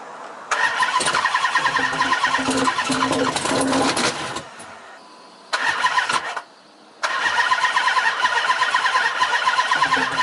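Three separate bursts of steady starter cranking, about four turns a second, and it never fires; cranks but won't start.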